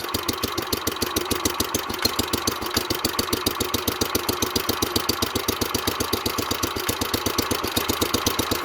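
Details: 1970s Wheel Horse C121 8-speed mini tractor, Kohler single cylinder, started after rewiring the fuel pump, on the original points; a quick, even beat with no misses or knocks, idling steadily and healthy.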